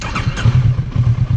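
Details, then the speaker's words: Kawasaki Versys 650, hot restart with idle lowered to about 900–980 rpm, same starter time: brief start with uneven low thumps that stumble and sag, almost dying; hesitant hot start from idle set too low. "quase afogou vocês perceberam como ela hesitou e quase afogou"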